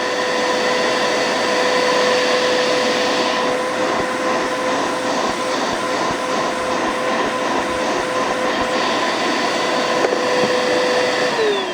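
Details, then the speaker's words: Bissell Powerforce bagless vacuum after removing clogged filters, including the plugged motor exhaust filter: steady high motor whine over strong rushing air, even and unwavering; suction much better, pulling properly, normal running. "That's a lot better suction."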